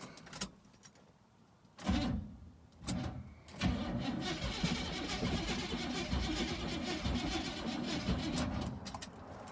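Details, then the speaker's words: 1974 GMC Suburban that quit on a test drive; owner suspects a dirty carburetor and a weak battery that cranks slowly. The starter churns in uneven, labouring bursts and the engine never catches. Cranks, no start. "it wants to but it's not going to so that carburetor or battery is dead so i think i'm kind of stuck"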